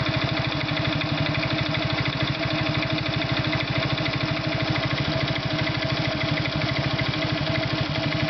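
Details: Irbis Virago 110 motorcycle idling: an even thumping beat with a light tapping riding on it. An engine knock, origin unclear.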